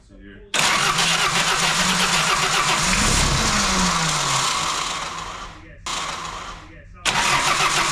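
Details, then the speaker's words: Fox body Mustang on a cold day, no ether: long spells of fast even cranking with uneven firing attempts that never catch; cranks but won't start, cause unknown (cold suspected). "I thought you put a new starter on I think sounds like hell too let me double foot it here NOP all right not today"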